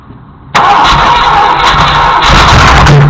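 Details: Junkyard Ford Galaxie 390 V8, unseized with transmission fluid and acetone, no proper fuel system fitted: catches suddenly and roars roughly about three seconds on a shot of ether starting fluid.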